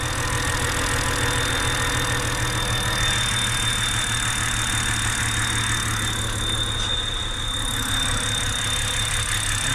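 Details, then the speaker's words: 2007 BMW X3, 3.0 N52 six-cylinder, at idle with excessive crankcase vacuum: a thin, constant high whine that stops when the oil cap is released and returns when it is closed. Suspected rear main seal drawing air into the crankcase. "hear the whining listen for it as i release it it goes away by cap off it comes back so that most likely what it's it's it's come to be known as that's the rear main seal screaming because it's basically sucking itself in"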